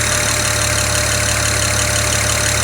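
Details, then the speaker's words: BMW 335i at idle, warming up, hood partly closed: crisp quick tick over engine noise, quieter as engine warms; number 6 fuel injector ticking excessively loud, found by unplugging injectors. "can you hear that ticking it's getting less quiet or less loud now because the engine's warming up but yeah do you hear it there it is"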